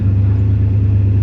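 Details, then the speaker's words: Chevy Suburban 454 V8 after the fuel pressure fix, off jack stands, with fuel pressure, voltage and temperature good. It idles with a low, smooth, steady rumble, even beat and no ticks or stumbles. "we got it off of the Jack St and it's idling pretty good"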